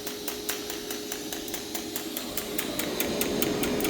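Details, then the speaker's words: 2% lanthanated (blue) tungsten in a rig that arc-starts each electrode at 200 amps: rapid ticking starts about three or four a second with stray extra ticks and zipping after early sputters; many arc-start misfires. "Oh, blue is off and running, but we had some sputters in the beginning there. And we got quite a few misfires."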